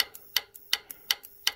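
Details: WARN winch solenoid pack bench-tested on a power supply, applying positive to the green terminal: sharp clicks about three per second with faint hum between, switching uneven; abnormal solenoid click from a faulty solenoid pack.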